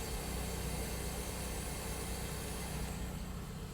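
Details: Toyota Altezza right after a fuel pump replacement, first start: steady low idle rumble with an even beat and no misses, surging or knocks; a healthy idle with the new fuel pump delivering fuel.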